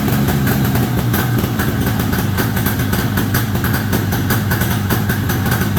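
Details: 1973 Columbia snowmobile two-stroke, indoors, after the crankcase-to-carburetor pulse line was reconnected on the rebuilt diaphragm carb. A rapid, steady beat holds an even idle without stumbling or dying: normal idle.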